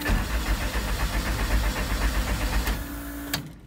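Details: Honda CRX, after new ECU with chip transferred plus coils, spark plugs, injectors and fuel pump reinstalled: even cranking about four beats per second, brief pump-like hum, winds down without firing; cranks but won't start.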